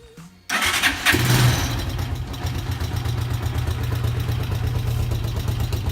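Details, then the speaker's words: NF 150 motorcycle with a recently fitted 10 Ah Delta gel battery: a short crank catches at once and settles into a steady, even low idle. This is a normal start and idle. "Я себе поставил недавно новый аккумулятор. Производство модели Delta 10 амперный. Стартер крутит хорошо. Не жалуюсь."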